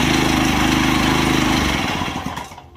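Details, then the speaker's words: Daelim Trac two-stroke moped, first run after engine removal and inspection, oil feed plugged with a screw as a possible air leak: rough buzzy run about two seconds, then sags and stumbles out; longest run yet, owner unsure fuel is reaching the carb. "All right, that's the most it's run so far. I don't know if it's getting fuel yet to the carb."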